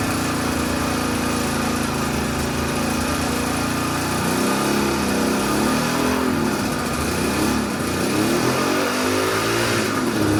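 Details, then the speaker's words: 1976 Suzuki GT380, three-cylinder two-stroke with engine and carbs previously rebuilt: uneven, lumpy idle with a missing beat; number 2 cylinder not firing (cold header, wet plug earlier). "Number 1's warm, number 2 is absolutely freezing cold, number 3 is warm as well."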